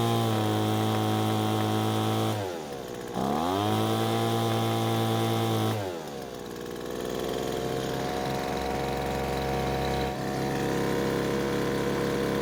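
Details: Poulan Pro two-stroke leaf blower after H screw carburetor adjustment; stoppage was blamed on a bolt that came loose: crisp, even buzz that drops cleanly on throttle release, picks straight back up and settles steady; runs healthy.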